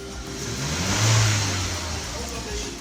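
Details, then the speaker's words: 2014 Volkswagen that had codes P0016, P0300 and P0304 with loss of power and high fuel use, after the codes were cleared: soft, steady idle with no stumble, with music over part of it. No fault codes return. "engine is running very soft. Even in the diagnostic machine we don't have that fault coder. See the engine is okay."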